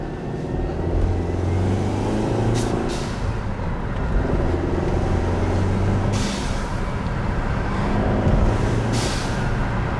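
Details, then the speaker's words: Stock 2012 Mercedes W204 C250 heard from inside the car, sports mode, with a newly installed GFB blow-off/diverter valve: sharp hissing whooshes as the throttle lifts. Venting boost normally, not aggressive. "It just releases the air a bit earlier with the build-up that happens. I might even chuck the windows down. As this car doesn't have an exhaust, it's not really an aggressive sound."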